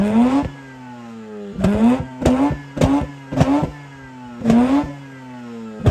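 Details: Mazda RX8 rotary revived after 2.5 years sitting, owner says not overheating: about seven crisp throttle blips in six seconds, smooth buzzy climb and clean drop to idle; healthy rotary revving.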